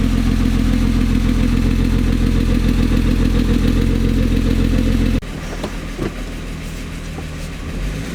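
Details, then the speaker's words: VR6-swapped Volkswagen Jetta with newly fitted turbo and charge piping, first start; fast even light ticking, three or four a second, over loud rough idle; seems from valve train, cause unknown; ticking at idle. "this thing's a very ticky motor sounds like it's definitely coming from the valve train but i don't know"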